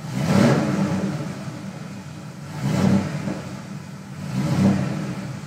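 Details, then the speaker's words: Rampage that won't start properly and seems to misfire without a misfire code; three quick throttle blips in the garage, each rev rising and falling with a ragged uneven edge, rough running, owner suspects a fouled plug; lights dim. "I'm going to try to move the car a little bit and that's actually when she really starts acting up"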